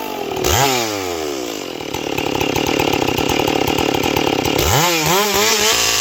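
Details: Ported Stihl 461 chainsaw after new Caber rings and repaired blown-out spark plug hole, cutting a log; spins up crisp and strong, holding a steady high scream without bogging: normal cutting under load.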